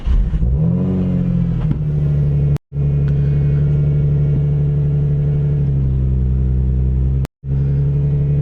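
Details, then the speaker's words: Nissan 350Z V6 with aftermarket exhaust, crash-damaged project car, jump-started: deep, even, loud rumble, revs climb and settle cleanly; engine runs normally. "This car is so loud. This car sounds incredible. Oh, this sounds really good. It's loud, but that aftermarket exhaust, it really works."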